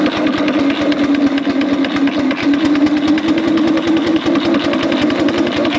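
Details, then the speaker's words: 4-inch Foster steam traction engine "Dolly", winter steam test after boiler retubing, powered up into big wheel at about 60 lb pressure; quick, even chuffs about six a second over a steady mid hum, crisp and regular under load; chuff a bit better in big wheel, normal exhaust. "chuff's a bit better in Big Wheel as well"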